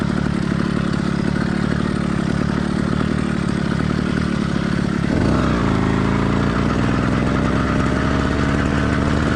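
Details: Warmed-up but not heat-soaked two-stroke motorized bike kit engine (single-speed, single-circuit carburetor): steady buzz under load, then the note drops into a light uneven burble; normal running with mild four-stroking.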